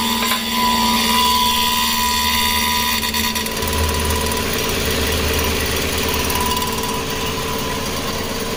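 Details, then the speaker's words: 2010 Chrysler Sebring convertible 2.7 L, first running after a crank-no-start repair with new flexplate and EGR fix: steady whir and light uneven rattle over the idle, judged to be the power steering. "I know what's that noise though is that oh that's a trance oh power steering you think that's a trans a power steering"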